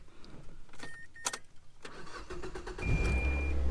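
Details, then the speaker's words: Mazda with dead battery, jump-started with an IMAZING IM29 portable jump starter. Brisk quick cranking catching into a steady low idle: strong starter, clean normal start. "Wow, that's pretty good, isn't it? Alright, so that definitely worked. That battery sounded fully charged."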